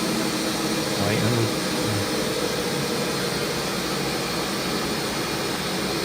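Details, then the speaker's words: Warco WM250V three-phase variable-speed lathe after a drive modification with the end cover refitted, run above about 700 rpm: even, steady hum with no knocks or gear chatter; smooth, healthy drive. "try some higher RPM that sounds really sweet really nice"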